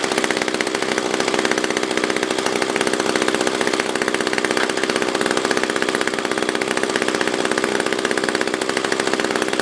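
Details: SRM-210 trimmer after repair (new carb, fuel filter, plug, fresh gas, handle), tank refilled: steady, high buzzy idle with even rhythm, no surging or stumbling; normal idle.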